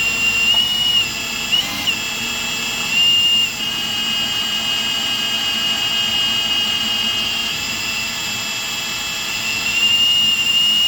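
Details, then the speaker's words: Hydro-Gear T2 hydrostatic transmission being purged with release valve held open and axle spun by drill: high steady whine changing tone in steps as air leaves the system, axles spinning better; air in hydrostatic transmission. "It's getting more and more air out of the system. Working the release in the back here. Working, I've been hearing it. I don't know if you can hear it on the camera. But yeah, you can hear it changing tone."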